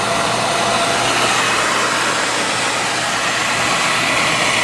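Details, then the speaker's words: Beckett oil burner with Carlin Promax control, two-pipe pump system: after flame shutoff at the limit, a steady rush of air over a constant motor hum for the 30-second post-purge clearing fumes up the chimney. No flame roar or rattle; normal. "I'm in post Purge now for 30 seconds to get rid of all the uh the fumes up the chimney"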